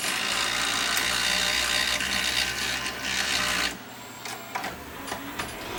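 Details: Toshiba VM42 Betamax VCR loading a tape: busy whirring grind with a quick uneven tick, about four a second, then quieter; a cracked loading gear makes the noise and slips back and forth but the tape still loads.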